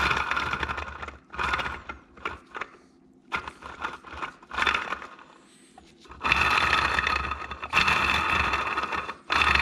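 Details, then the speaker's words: Polaris RZR Turbo front differential being rebuilt: a worn bearing turned by hand gives a gritty, crunchy scraping in uneven bursts and sounds like it is hitting something, with chunks of metal filings suspected inside. "little Lube in there you're gonna hear it's hitting something bearings really loud now he's probably chunks of metal filing in there"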